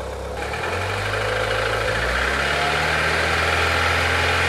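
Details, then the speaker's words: Chevrolet Chevy/Corsa/Tornado engine after replacing leaking spark plug wires: steady, smooth even idle, no misses or stumbles, noticeably calmer than before; normal idle. "ya que instalé los cables de encendido nuevos la diferencia es notable el motor está más tranquilo más"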